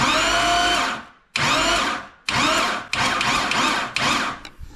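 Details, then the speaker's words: 2005 Chevy Corvette, new C7 starter with heat shield: five short bursts of smooth high whirring, no grinding or clicking, spark plugs and exhaust removed so there is no compression; normal cranking. "if you guys are concerned it doesn't sound like it's making any compression well there's no spark plugs on it and there's no exhaust on it so nothing really to worry about there"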